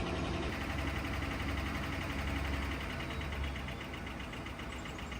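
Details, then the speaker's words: Ford Crown Victoria 4.6L 2V V8 with an intermittent new noise: fast, uneven clacking about four per second over a steady idle, consistent with a slapping, worn timing chain. "In all my years of owning Panther platforms, I've never heard this noise."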